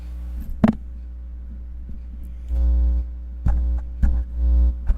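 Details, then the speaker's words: Livestream microphone set up through OBS picking up back feed: a steady low mains-type buzz with louder throbbing swells under the speech. The mic signal is humming, source unknown. "I don't know if y'all can hear that back feed or not, but it's that humming."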